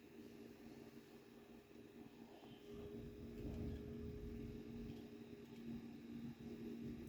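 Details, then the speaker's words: Graphics card fan running after shop repair or replacement, having been noisy from jamming or dust buildup: steady, even hum with a clean fan tone and no rattle, scrape or ticking, now spinning faster than before; normal fan running. "আগে যে আস্তেটা ঘুরতো এখন কিন্তু বেশ জোরেই ঘুরতেছে ফ্যানটা"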